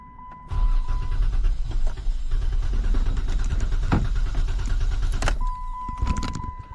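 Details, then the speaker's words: 2013 Dodge Challenger towed in: starter spins engine steadily about five seconds with no catch or firing, then releases; fuel nearly empty, battery in trunk to be checked next: crank no start. "So, it crank but no start. Let's try again. Don't want to start."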